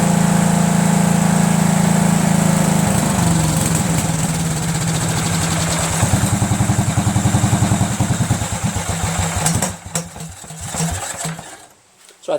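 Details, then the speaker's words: Cub Cadet lawn tractor, Kohler Command single: loping, uneven thumping at about 200 a minute, faltering toward a stall; weak mechanical fuel pump pulse from a camshaft-worn actuator tip, runs only on 3/4 choke, carburetor also suspect. "this doesn't seem to be getting any good pulse you know I mean"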